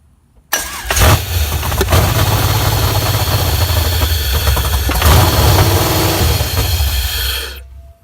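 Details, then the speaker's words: LSX V8 truck engine swapped into a Nissan 350Z, with a Corvette LS1 starter and flywheel; unfinished build with no O2 sensors and loose oil lines. On cranking it catches and runs rough and uneven for several seconds, then dies. Stalls after starting; cause unconfirmed. "now the motor is dying out every time I crank it I'll show you a clip real quick again"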